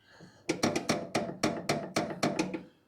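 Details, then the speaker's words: Chevelle front upper ball joint, worn loose, rocked by hand after the castle nut is removed and the spindle is freed, about nine sharp metallic clunks in two seconds. Found while replacing the upper control arm bushings and ball joints after a noise on the drive home. "it's not supposed to make that noise but she's free from the spindle"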